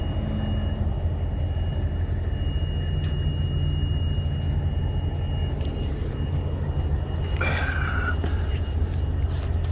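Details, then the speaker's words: Truck: a thin, constant high-pitched whine rides over the deep diesel rumble without changing; source unclear, same whine heard about a year earlier couldn't be figured out. "Do y'all hear the high-pitched whine? Can y'all hear that high-pitched whine?"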